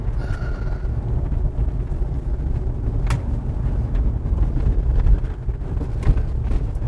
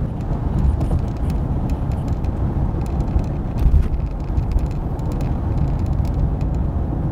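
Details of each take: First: 2013 Toyota RAV4 on the road after dash rattle fix: steady low road rumble and odd bumps with no buzz or rattle from the dash trim, even over big bumps. Quiet dashboard, no rattles. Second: 2013 Toyota RAV4 while driving: over constant road roar, scattered light irregular clicks and rattles come and go from one area of the dash, replicable by banging on the dash; loose trim piece inside the dash suspected.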